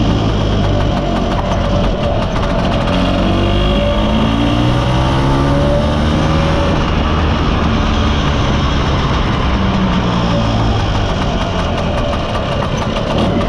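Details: Mostly original Spanish Lambretta Jet 200 (Serveta) two-stroke on test ride after carb slide cutaway changed from 1.2 to 2.2; ringing note climbs and falls cleanly through revs with no stutter or bogging; mid-range flat spot cleared, runs silky smooth.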